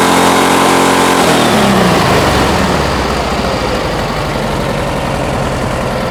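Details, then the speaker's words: 1971 VW Bus 1600 flat-four with newly installed dual carburetors and exhaust, during carb balancing; engine revs up smoothly and settles into an even, steady idle with no misses or knocks, runs healthy. "This exhaust always sounds good. I'm happy with it."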